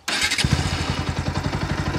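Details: New Bajaj Pulsar NS125, about 15 days old: engine catches and settles into a quick, even idle with a faint extra tapping on each beat; extra engine sound of unclear source.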